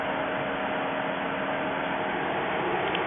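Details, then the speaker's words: 2000 VW Mk4 with AC on: a faulty AC pressure sensor falsely signals high pressure to the fan control module, so the cooling fans roar constantly on high speed with no cycling; replacing the sensor is recommended. "i can tell the difference in the tone this these fans are now on at high speed this is showing high pressure to the fan control module"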